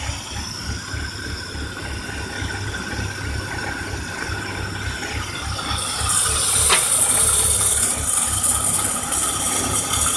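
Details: 2003 BMW 325i petrol idling unevenly and lumpily with a steady high hiss from the engine bay growing louder; started a day ago, engine stumbles and stalls unless gas pedal is held.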